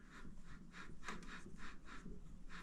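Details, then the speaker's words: Vevor MX400 mini lathe headstock spindle spun by hand: a gritty, scratchy rasp pulsing about three times a second from a worn spindle bearing, with a visible grease line; the bearing is shot and needs replacing. "that grease line over here where the bearing is shot definitely going out and see if I can hold all this I mean it it spins but it's you can hear the bearing"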